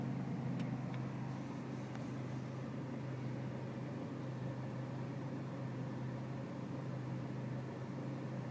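Diesel sits at a low, steady idle clatter with a slightly uneven beat; it is idling rough, cause not yet pinned down.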